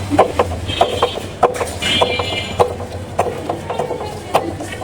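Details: Bajaj Discover 125 motorcycle in first gear: sharp, irregular clunks from the rear as the clutch is released, caused by worn rear wheel cush drive (hub/drum) rubbers.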